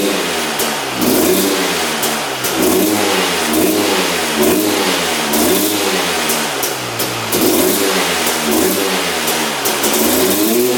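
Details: 2001 Honda CR250 two-stroke, freshly started on the choke after not running; repeated blips climb lazily with a burbly, uneven note, smoking a lot; sluggish throttle, owner suspects rich mixture or burning too much oil, unconfirmed.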